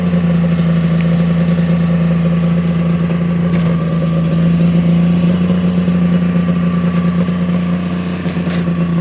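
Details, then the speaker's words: Polaris triple-cylinder two-stroke modified snowmobile ("Wet Basement") after full rebuild, skid reinstalled: crisp, steady buzz at settled idle, no misses, rattles or surging; normal idle, healthy. "Wet basement back up and running, ready to kick some more ass or what?"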